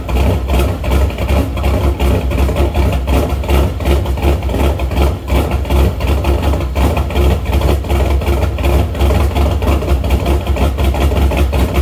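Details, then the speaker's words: Shelby after new MSD Street Fire 8mm plug wires, boots and plugs: loping uneven idle around 160 beats a minute, some cylinders weaker, rich until revved though it drives fine; owner suspects ignition problem, possibly rotor, unconfirmed. "it runs and drives great but it just idles weird and it just it runs rich until you rev it up and clear it out"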